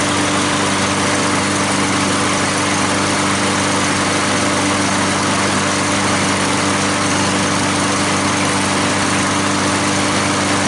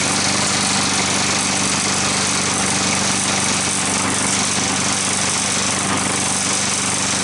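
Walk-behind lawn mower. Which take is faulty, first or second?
second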